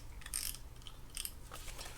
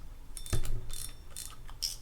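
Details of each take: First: Daiwa TD Advantage 3500 spinning reel after service and reassembly, handle turned by hand: a light, uneven ticking and gritty clicking. The noise comes from worn bearings, as expected. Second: Daiwa Team Daiwa Advantage 3500 spinning reel after service and reassembly: crisp, even anti-reverse ratcheting clicks in quick bursts, no grinding; drag good, slight expected bearing noise when cranking, bail flip works.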